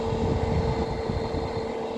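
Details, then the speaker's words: 2009 Amana PTAC unit that uses one fan motor for both the indoor and outdoor fans, with only the fan running: a loud, steady hum with a droning low rumble. The fix is replacing the fan motor. "as you can hear right now the only thing on is the fan and you can hear it's very loud"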